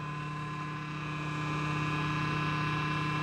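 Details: Desktop PC with the front power switch bypassed by joining the two power-switch pins: the CPU fan runs with a steady, even hum and the display comes on. This suggests the switch cable was the fault, and the fan runs normally.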